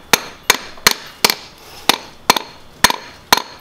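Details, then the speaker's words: Kia Grand Carnival crankshaft damper pulley, removed and struck in a tap test: eight sharp taps ring hollow and rattly instead of the dull thud a new genuine Kia part gives. The rubber bond has separated, with green powder present; the engine had a bird-like squeak. "There's a shaking sound. It needs to be a dull sound, but it's kind of like a furry sound"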